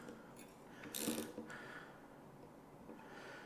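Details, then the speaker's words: Genuine Park Tool ratchet, bought from a bike shop, used while refitting a Giant MTB wheel: quiet rattly clicks with one gritty burst, always loud and clattery unlike the owner's other one; cause unknown, owner may disassemble it. "I bought it from a reputable bike shop, but it's always sounded like a bag of fucking spanners. I think I might take it to pieces one day, or just go and complain to Park Tool. Just listen to it. It's fucking awful."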